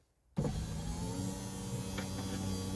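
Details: Project Ruby driver's window after silicone on the runner rubbers, replacement regulator, previously sticking and not going back up: steady smooth motor hum with even pitch, no binding or strain; window now travels freely, normal operation.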